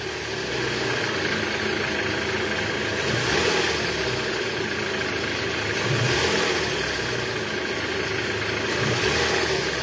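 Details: 2012 Toyota Alphard ANH20 2AZ engine, about 74,000 km, after replacing broken balancer shaft: smooth even hum with gentle rev rise and fall, no knock or vibration; normal idle.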